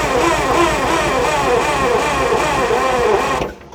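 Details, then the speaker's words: 1970 GMC Astro semi, 6-71 inline-six Detroit Diesel, sat over 30 years, first start on starting spray: loud ragged diesel clatter catches and runs hard about three seconds, then dies; fires but won't keep running without more spray. "get it oh God die oh that one died spray again they come back alive you got to hit them again"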